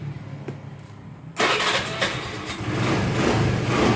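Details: Old Honda Vario 110cc scooter with intermittent no-start, retested after repairing starter wiring: starter whirs briefly, then engine catches at about 1.4 seconds and settles into a steady, even idle; normal electric start.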